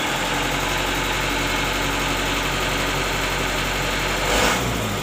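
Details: Mitsubishi Canter diesel truck, neutral, engine running: firm even note with brief throttle blip to fill vacuum tank; vacuum warning light on at key-on but off when running is normal, vacuum pump and system normal.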